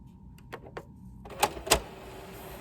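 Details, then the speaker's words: Used PS3 with SmackDown vs Raw disc: a few sharp clicks and clunks with brief whirr, nothing spins up; drive clicking and disc not read, same problem suspected with all discs. "that's beyond weird let's try that again that's where the eject button is yeah what the hell is that so i'm going to assume it's the same problem with all these disks"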